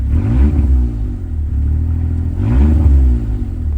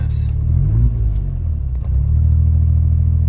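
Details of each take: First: Suzuki Alto Works after a breakdown with dimming lights and a battery swap, revved with lights off to check for belt squeal: two quick revs climb and fall back smoothly, low rumble, no squeal. Normal revving. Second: Suzuki Alto Works after oil change, new plugs and new battery, lights on: low engine hum wavers up and down every second or so around 1500 rpm instead of holding steady. Idle surging, cause not yet identified.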